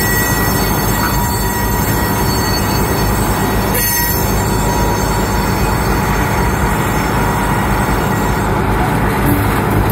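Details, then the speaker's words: Loaded coal cars rolling through a curve with steady high-pitched wheel squeals over a heavy rumble. Each wheel sounds different because no two wheels share the same flange and tread profile. "You notice uh different wheels have different sounds as they negotiate through a curve. That's because of the differences in the profile of each wheel."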